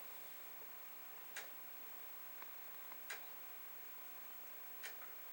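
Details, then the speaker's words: Commodore 1541 disk drive during formatting burn-in/torture test, after chip swapping: sharp dry head-stepping ticks every couple of seconds over faint hiss; normal, healthy drive. "So you can hear the head doing its thing. I think what we're going to do here is let this run through once. I guess another thing some people might call this is a burn-in test."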